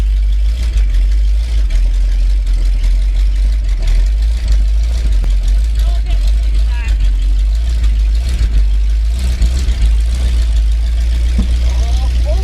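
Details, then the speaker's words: 1979 Ford F350 one-ton V8 running after about 15 years parked in a field. Deep, steady V8 rumble at idle with no misses or knocks; settles and runs evenly. "So, it's running now. It's a good first step. Got it uh got it back going."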